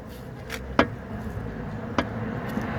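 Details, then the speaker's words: Mercedes CLS, car resting on wooden blocks to unload the suspension: two sharp metallic knocks as the driver-side front upper arm ball joint is rocked by hand, worn joint causing the front knock. "can you see that so that's the knocking noise i was getting"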